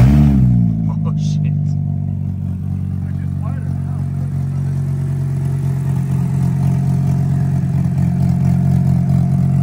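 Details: VW Corrado restarted after an injector replaced to fix misfiring: engine cranks, catches and revs briefly, then settles into a steady, even idle with no stumbles or misses; normal running.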